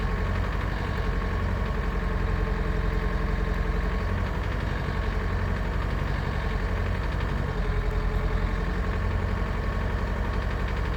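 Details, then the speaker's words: Renault Kangoo 1.5 dCi K9K diesel (Delphi injectors) with loose uneven knock about four times a second at 1250–1400 rpm; injector knock, three injectors under-returning about half a cc from norm at idle. "Рено 1.5 DC и k9k стук форсунки на 1250 1300 1400 оборотов"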